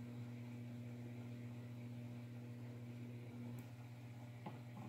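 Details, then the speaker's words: DIY spot welder joining two pieces of thin 20 gauge sheet metal through aluminum leads that get warm: steady low mains hum with no crackle of fusing metal, pieces not welding together. "like I said this is 20 gauge so this stuff is thin but see it's not even welding together"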